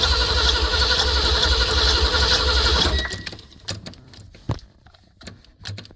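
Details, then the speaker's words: 1974 Ford van, sat 30 days in Arizona heat after fuel pump replacement and carburetor rebuild: fast even starter churning about three seconds, no firing. No gas seen in carburetor; cranking no-start. "Yeah, that shows is what that shows is this carburetor is not getting gas."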